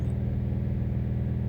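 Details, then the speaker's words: 2017–2018 Subaru WRX STI boxer engine, new and running in: deep steady drone with fast even pulse, booming through the body at a certain rpm; cause unclear, feels like one cylinder down. "so now what you get here you get at a certain rpm you'll get this droning through the body like all cast or most cast do it"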